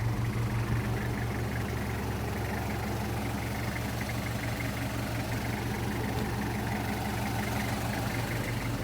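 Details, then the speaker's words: 1994 Toyota Hiace LH112 van, 2L diesel, original muffler, normal temperature: steady even diesel clatter at idle, no misses or knocks; clean, healthy idle. "คันนี้เพราะว่ายังเป็นท่อพักเดิมนะครับแถวบนเครื่องให้ฟังกันอีกครั้งหนึ่ง"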